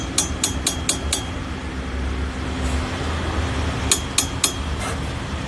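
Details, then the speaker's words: 2016 BMW 320d, rear-wheel drive, rattle from centre console under acceleration and on rough roads: quick sharp metallic taps about four a second over drivetrain hum, a damaged handbrake cable bracket letting the cable hit the propshaft; fixed by repairing the bracket. "So diagnosis करने पर पता चला कि इसका जो आवाज है वो हैंड ब्रेक के केबल से आ रहा है"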